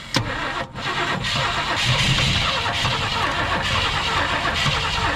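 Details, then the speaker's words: 1965 Mercury Montclair Breezeway, sitting 16 years, after it ran briefly and died: starter spins the engine evenly but it never fires; tank has no gas left; crank, no start, out of fuel. "all right she's probably out of gas all right y'all uh let's see i'm gonna bring it on over in here there she is she has no gas left"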